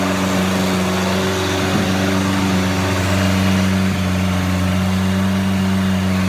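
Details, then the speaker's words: Junkyard 1984 Chrysler 2.2L turbo from Dodge 600 on engine stand, Holley HP ECU, fire-damaged distributor modified: steady even note, smooth low drone, no knocks or misses; normal running, owner questions oil pressure at 2,000 rpm. "okay guys what do you think about this video on our Stand start on the 2.2 L Chrysler motor always awesome to hear the thing fire up"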